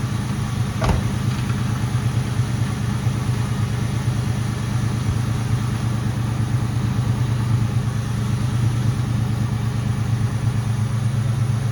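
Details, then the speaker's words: Mustang GT at idle after the power steering air bubble was fixed and the heater core was bypassed: a steady, even, low engine note with no whine rising above it; the pump noise is basically gone. Normal idle. "but I wanted to get that power steering air bubble fixed then the bypass for the heater core looked great no leaking on that either and so now you'll see when I started up the noise is basically gone"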